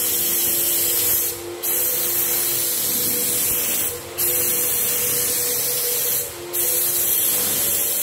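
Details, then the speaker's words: Graco 9.5 Pro Contractor HVLP turbine with Edge 2 Plus gun spraying water-based paint: steady high hiss dipping briefly as the trigger is pulled, then pressure building back; normal spraying. "So, as well when I'm spraying, if you can hear that, as soon as I pull that trigger, there'll be a drop in pressure and then it builds back up."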